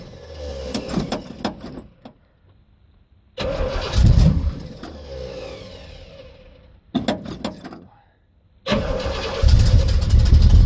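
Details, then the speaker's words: Carbureted American muscle car on a ~5,000-mile road trip, ignition recently fixed, cold start without working choke: repeated long cranking bursts with pauses, sputtering and barely catching before dying; needs lots of gas, stubborn hard cold start. "Man, that took a lot of cranks. You could hear it starting to die."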